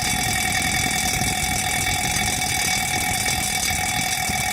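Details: Rubine Pro Eco unit, heard from downstairs outside: a constant loud whirring hum with a steady mid-pitch tone and an airy rush, with no pauses. The unit runs noisily and the cause is not stated.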